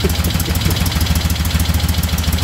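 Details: 1975 Moto Guzzi twin after revival, started at about 40°F on choke: even loping idle, steady low pulses, no knocks or misses, vibration loosened mirrors; normal idle.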